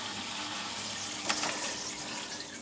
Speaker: it's now running quiet you can only hear the buzzing from the uh from the pump which is normal